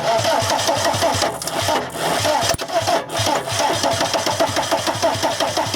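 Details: VW camper van with swapped TDI diesel engine and new harness: fuel pump clicks heard, then steady cranking at about three beats a second with starting spray, never catches. Owner wonders about the M1 relay; cause not confirmed.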